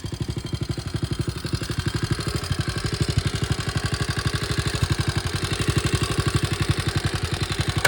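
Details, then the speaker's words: 1961 Honda 50 Super Cub 50cc engine, rebuilt from parts in a crate, no battery, electrics unfinished: even, steady putter at about four beats a second, low thump, no knocks or rattles; idling healthy. "let it run and let you hear it so you can see that it's back in the land of the living and sounds pretty good"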